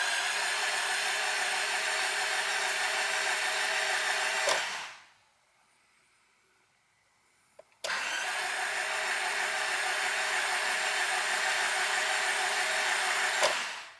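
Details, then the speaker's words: Acura RSX with a newly installed engine, cranked to prime oil before its first start, oil light expected to go off once primed: steady whirring crank, a pause, then another even crank with no knocks or scraping; normal cranking. "just gonna crank it a couple more times um that oil light down there when while you're cranking once it's you know decently primed it should go off"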